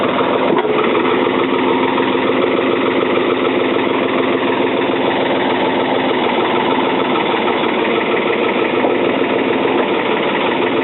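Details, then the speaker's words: 1977 Ford 555 backhoe diesel, first start in over two years: a low, steady idle with even clatter throughout and no stumbles or surging, kept at low throttle while warming up; running healthy. "she's a runner let it warm up keep it nice and low"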